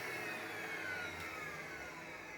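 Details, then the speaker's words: Dyson DC39 barrel vacuum cleaner with loss of suction: thin high motor whine sagging in pitch over a rough airy rush, louder and odder than before; rubbish caught inside the motor. "So the vacuum cleaner doesn't sound like it did previously. There's something caught within the motor."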